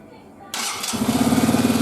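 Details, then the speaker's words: Hanway 125 single-cylinder motorcycle build, after fine-tuning. A starter whirr, then it catches into a steady, even idle putter with no misfires. The earlier failure to run was a pipe issue: the pipe had been on the wrong hole, and it now runs normally. "Oh, I don't know if they can hear that, but that is running. but he is running. It was just a pipe issue."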